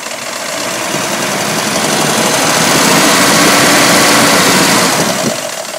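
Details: 1985 Mercedes W126 500 SEC, M117.963 V8 on petrol (LPG fitted, same sound), passenger side: idle with a fast, busy ticking rattle; hydraulic lifters suspected, and replacing two cylinder-1 lifters helped little.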